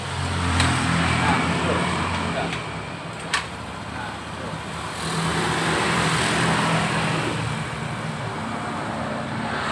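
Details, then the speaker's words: Fuel-injected motorcycle that suddenly died, now restarted after loss of compression from dirt on the valve seat was addressed; small engine steady at idle amid street traffic, no misfire, running normally. "ah sekarang sudah hidup. Kalau sudah hidup begini, kita pakai starter pelan pun bisa seharusnya."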